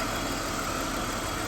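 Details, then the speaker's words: BMW E39 Touring awaiting LS swap, warming up after cooling system refill: steady idle with thin high chirp on top; owner pretty sure it is the top idler pulley and plans to oil it; cause unconfirmed. "so as I'm sitting here waiting the car to get warm I've got this chirp and I'm pretty sure it's from this top idler right"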